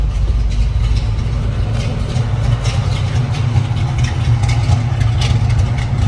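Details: 1969 Pontiac Firebird Trans Am replica, restored, rebuilt 455ci V8 with no. 96 heads, Edelbrock intake, 4bbl carburetor, stock Pontiac exhaust manifolds: deep steady burble, strong even low rumble through idle and revs; healthy, normal running.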